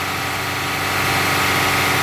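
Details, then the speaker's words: Rough-running engine on a misfire diagnosis, throttle opened by hand to 2500 rpm during a vacuum gauge test; even, steady roar with no stumble or miss, normal running at raised speed. "now I'm gonna raise you RPMs do the same test at 2500 rpms so I'm going to raise your pimp by opening the throttle by hand and look at the gauge"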